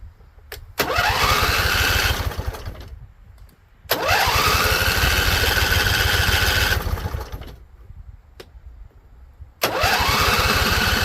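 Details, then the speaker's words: Husqvarna Z254 with a swapped twin engine, choked and running on carb spray with the fuel turned up. It catches and revs for one to three seconds three times, then dies each time. "All right, so it came on. I think we burned off all the carb spray we had in here."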